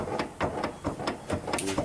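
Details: Chevy Silverado 2500HD snow plow truck: quick metallic clunks, about four or five a second, as a front wheel is shaken by hand. Both pitman arms are worn, a universal joint is also bad, and it will wobble at high speed.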